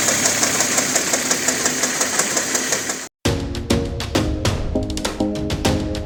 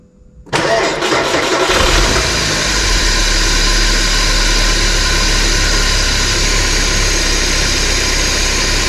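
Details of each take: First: 1993 Porsche 968 3.0 L petrol, right-hand drive, idling: loud rapid metallic chatter from a worn balance shaft belt, then music. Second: 1993 Porsche 968 3.0 L petrol, right-hand drive, started with belts removed: cranks, catches and settles to a smooth, even idle without the earlier chattering, blamed on the belt catching gear teeth.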